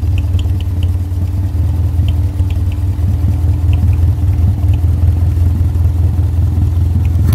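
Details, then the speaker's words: Subaru flat-four engine swapped into a 1965 VW fiberglass buggy, replacing a 1600 dual port, with owner-built wiring: deep, steady low rumble with an even pulse, loud through an exhaust louder than the owner wanted but smooth; normal running, loud exhaust. "the exhaust turned out to be a little bit louder than I would like but it still sounds good so just go ahead and start it up"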